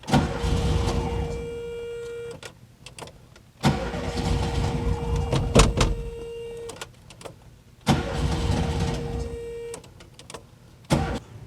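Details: 1971 VW Type 3 Squareback being cranked after the fuel feed line was redone: three cranking bursts of about 2 seconds each carry a steady mid-pitched whir the owner questions, and it never catches; a fuel delivery fault.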